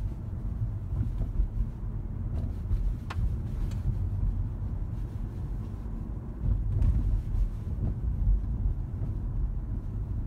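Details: Lexus CT200h rolling over speed bumps in cold weather: sharp single knocks over low road rumble from worn strut mounts; the noise disappears completely in summer and was cured by replacing the strut mounts.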